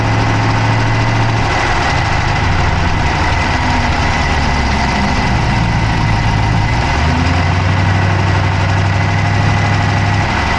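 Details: Dodge Charger Hemi V8 at idle, camera (Insta360 Go3) inside the engine bay on the passenger side: steady idle with quick light ticking on top; source of the tick undetermined.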